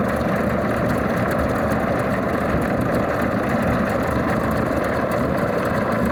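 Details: Alvis Leonides Mk 25 radial engine in a Percival P.56 Provost trainer on a ground run: deep, steady rumbling idle with an even beat and no misses or knocks, a settled, clean normal idle.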